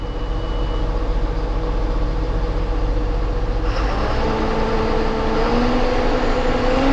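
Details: John Deere 7830 tractor diesel after replacing a seized VGT turbo actuator that caused derating: deep even rumble, then a slowly climbing whine over a smooth steady engine, no knocks or misses; judged fixed.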